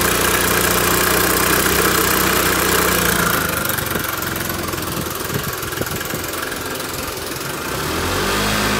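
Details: Thunder King 180 (雷霆王180) just after startup: irregular clicks and knocks over the running beat for a few seconds; abnormal startup noise, owner suspects starter clutch or broken internal cam chain tensioner, unconfirmed.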